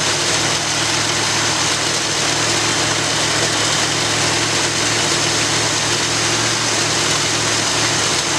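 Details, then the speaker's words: After rebuilding the Edelbrock carburetor on a 1965 Ford Galaxie, steady, even V8 idle with a strong airy intake hiss and no stumbles or misses; owner says it sounds like it's breathing a whole lot better. "so I don't know if you all noticed any kind of difference but I definitely did it sounded like it's breathing a whole lot better"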